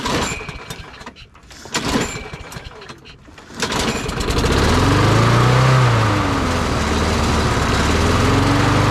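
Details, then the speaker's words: Briggs & Stratton 650 series push mower (Craftsman) after carburetor replacement, primed and pull-started outside; pull-cord rattle, then it catches and settles into a steady, even roar without surging, running properly. "all right all right so it is that simple all we had to do was replace the carburetor and she runs"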